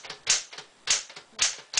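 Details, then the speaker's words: 1965 Smith-Corona Sterling manual typewriter from the sixties in good working order, typing on paper: four sharp, loud key strikes in under two seconds with lighter clicks between, a very noisy, hard hammer touch; normal typing. "It's a 1965 model. It is very noisy hammer touch, like I will show you now."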